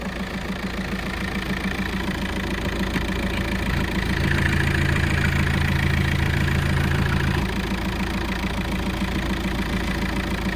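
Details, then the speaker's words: VW Golf Mk5 TDI diesel with 277,000 miles, idling with the hood open: an even, steady diesel clatter at roughly three beats a second with no misses or knocks. The engine idles healthily and is judged good for another 100,000 miles. "I bet that engine would do another 100,000 miles."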